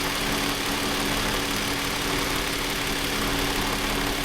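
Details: Toyota Avalon after water was cleared from injectors and plugs: even, steady idle with a smooth hum. Code P1603 is still stored.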